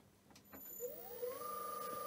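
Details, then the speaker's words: Restored 4-pole three-phase Myford Super 7 lathe motor (about 1440 rpm at 50 Hz/230 V), resilient-mounted, run on a VFD: quiet whine spins up to a steady even hum with a thin high drive tone; normal running. "and this is the three-phase motor run on the vfd"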